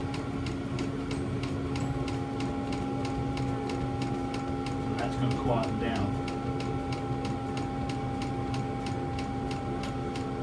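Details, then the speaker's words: VW T25 Westfalia with newly installed diesel heater replacing old petrol heater, running on H3 setting, exhaust not yet fitted; steady fan hum with even dosing pump clicking about three per second; heater running normally. "As you can hear the reds coming down now. So that sounds correct to me. I mean that really is pumping out."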